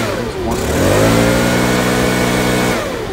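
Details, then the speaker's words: Stihl BR600 backpack blower after carburetor replacement. It catches and climbs to a steady, even high buzz, holds clean, then eases off; smooth normal running. "just if i got everything back put that together crank it up you see it run on the spot"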